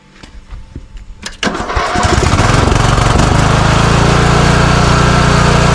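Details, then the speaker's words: Craftsman riding mower that surges and backfires; fuel was left in it over winter. Running on an external tank of fresh fuel, it cranks and runs loud and rough with uneven pops, still backfiring. Carburetor is then replaced. "Heat up here. Okay. So, it's still backfiring."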